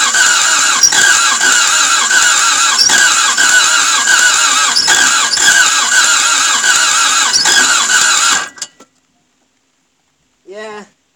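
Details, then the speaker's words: Toyota MR2 AW11 after cleaning injectors and distributor, cranked on a non-original 12 V battery: steady three-beat-a-second cranking with whirring whine, never fires; owner notes it seems to start better without the airflow meter. "it's weird though that it seems to start better without the airflow meter on it"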